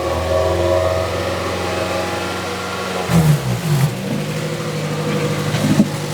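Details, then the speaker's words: 2006 Toyota Matrix 4WD revved hard, noise from the rear; exhaust forward of the muffler replaced within two years; owner suspects muffler disintegrating internally or blocked; dull, choked, uneven note; later a leak found at the muffler joint with a missing gasket. "I'm wondering if something has started to disintegrate inside the muffler because it almost sounds like there's a blockage."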